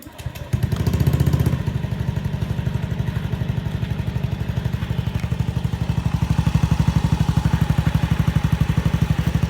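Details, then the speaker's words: Honda Beat FI fuel-injected scooter near idle, thumping at a fairly even beat, bogs (ngempos/brebet) when revved at low and high rpm. "Oke, motornya memang terasa ngempos di putaran bawah dan putaran atas."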